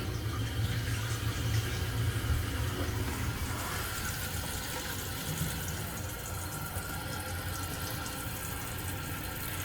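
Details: Toilet tank refilling after replacing the old slow-filling fill valve (broken hose) with a new universal adjustable one, water fully on: steady hiss and splash, smooth and even, no squeal or hammering; normal refill.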